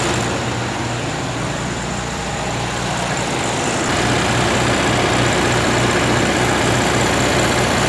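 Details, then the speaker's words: 1961 VW Beetle air-cooled flat-four, cold start with choke open on a 46% battery, revival test fire: catches and settles into an even steady idle, no knocks or misses; sounds good, pretty smoky. "Oh, she sounds like she'll go. Double check. It's cold. The choke's open."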